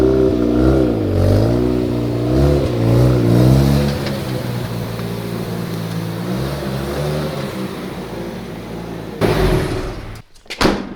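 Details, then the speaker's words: Mazda RX-7 FC3S freshly rebuilt rotary engine, run during break-in and kept under 4,000 rpm: revs up and down smoothly, then settles to an even, steady run with no knocks or rattles; healthy engine. "guys I still cannot believe that this thing actually runs and it runs so well"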